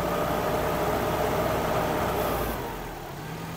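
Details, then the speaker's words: Suzuki Vitara petrol engine with leaking fuel pressure regulator letting fuel be sucked into the intake: idle runs steady then sags and dips as it hunts, sometimes stalling; regulator needs replacement. "ayon pag nakaipon na naman yan ng fuel na nahihigop dito babagsak na yung menor niya. Doun nga minsan namamatay na siya."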